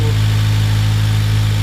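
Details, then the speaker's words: Honda Civic Type R EP3 idling just after fitting a refurbished AEM induction kit: steady, even low hum with no hiss, surge or miss; smooth, healthy idle with no air leaks. "No air leaks."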